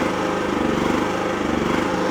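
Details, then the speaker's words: Wolf generator, serviced with fresh oil, getting low on fuel: speed rises and falls slightly every fraction of a second, a hunting surge the owner calls a funny noise from low fuel; fuel checked to avoid running dry. "make a bit of a funny noise let me just H the fuel up I think we're bit low on fuel"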